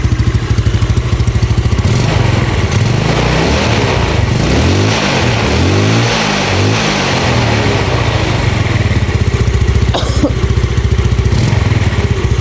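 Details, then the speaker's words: Carbureted Yamaha Nouvo scooter after its faulty carburetor vacuum diaphragm was replaced with a Yamaha Xeon one: small revs settle to a steady idle with only very slight popping, far less than before. Judged good. Weak compression from worn upper valve seals is named as the main fault. "kalau di kuping saya terdengar masih ada nembak sedikit banget ya tapi itu menandakan kalau untuk saya saya katakan itu bagus ya"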